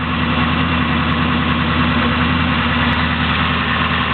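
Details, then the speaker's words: 383 cubic-inch small block Chevy 4x4 truck build, 9:1 compression, small Comp flat-tappet cam, 650 Demon carb, still a little cold at idle with plenty of oil pressure and strong vacuum: deep, steady, lumpy idle with an even rhythm, no knocks or rattles; normal. "you tell it runs really smooth even though it has a cam shaft in it got to get it warmed up just a little bit still a little bit cold take a look got plenty oil pressure at idle"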